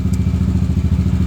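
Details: Yamaha NMax V1 scooter with a modified engine and power cam, brought in for a noisy engine. Idling after the repair, the owner says the noise is gone. Firm, even thumping idle with no knocks or clatter; healthy.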